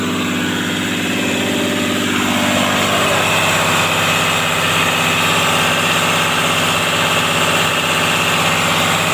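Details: Caterpillar 320D excavator, C6.4 diesel, after injectors replaced to fix hard starting: steady, even running with a firm, regular beat, no misfire or knock; engine sounds healthy and smooth.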